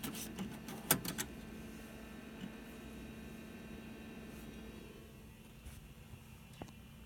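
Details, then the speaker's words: Windows 98 PC floppy drive reading a disk that earlier failed to format: a few quick mechanical head-stepping clicks then a quiet spinning hum; normal read, though the same problem recurs on this computer. "so you can hear the computer is reading the floppy disk well I got that same problem on this computer too now"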